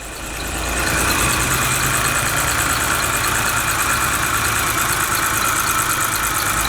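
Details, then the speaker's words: BMW N52 engine (3 or 5 Series) idling: steady idle with irregular stumble and shake every few beats; misfire code on cylinder number one, caused by faulty fuel injector. "hell yeah cylinder number one so whoop it is the injector so i'm gonna go grab one right now"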